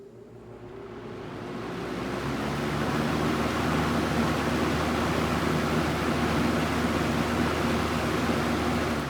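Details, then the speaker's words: Vintage fan with plastic motor running on high and low: steady low hum with a rough, even whir on top; still noisy but spins down freely. Uploader notes such plastic motors generally make noise; cause not confirmed. "pretty impressive still makes that noise as you heard but spins down pretty freely so whatever somebody was saying that those generally those plastic motors always make noise"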